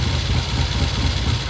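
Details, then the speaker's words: 1972 Triumph TR6 650 twin, 5-speed, oil-in-frame, single carb, idling: low, lumpy idle with irregular beat; left cylinder runs hotter; cause not yet found. "and it revs okay, sorta, but something's wrong. It's just not right."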